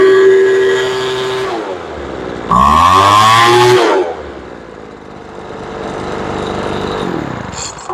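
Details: Poulan Pro two-stroke blower that would not start after sitting, with a suspected carburetor air leak. Its L screw is being adjusted in 1/8-turn steps. Buzzy idle, then the pitch climbs lazily on throttle before screaming and falling back, still slow to pick up revs.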